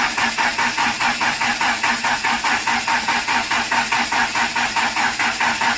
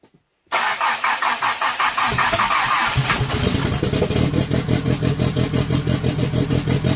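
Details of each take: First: Conquest on a newly wired MegaSquirt with turbo and cam upgrades, first start attempt; even starter cranking about three beats a second that never fires, because the fuel pump relay was left unplugged. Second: Engine on newly wired MegaSquirt base tune with stage 2 turbo cam, LS valve springs and turbo, after idle setting adjusted: short crank, then steady pulsing idle firing evenly on all four cylinders, sounds stock-like; normal start and idle.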